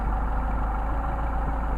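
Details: Mercedes 190SL with rebuilt Solex carbs, idle mixture screw set back to its midpoint after stumbling: steady even idle with a smooth low drone, no stumble or hunting; normal idle.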